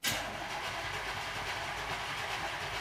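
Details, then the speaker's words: 1965 Chevy build car first started after front suspension work: the starter churns for about three seconds with no firing. It cranks but won't start; the owner suspects it ran out of gas and the carburetor bowl needs priming. "we have to give it a little prime little prime must have ran out of gas last time"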